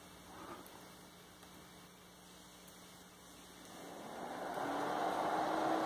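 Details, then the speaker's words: PC power supply tested by jumping a wire to black to see if it's dead: faint hum, then soft whoosh builds from about four seconds as fan spins up smoothly with no rattle; supply running fine. "Aqui eu liguei a fonte, ó. Não sei se vocês estão conseguindo ver o cooler rodar aí, mas vou colocar aqui algo para ilustrar que ela está rodando."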